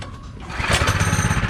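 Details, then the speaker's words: Rebuilt old mini bike for GPS180 endurance race, first start after new clutch fitted and gas and oil added; small single-cylinder catches at once and settles into fast even putter. "We got the gas in it. We got the oil in it. Go ahead and turn it on and give it a first start."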